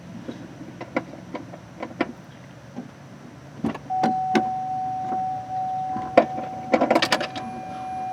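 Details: 2004 Cadillac Escalade windshield wiper motor after replacement, previously running constantly with the washer pump: soft linkage clicks and thumps, then a steady motor hum as the blades sweep and park straight; working normally.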